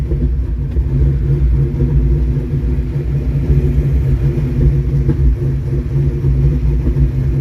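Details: 1982 Mustang GT with a newly swapped brand-new rebuilt V8 with heads and cam, painted headers smoking, oil pressure gauge reading high. Deep, even V8 rumble at steady idle with no ticking, knocking or misses. Normal idle.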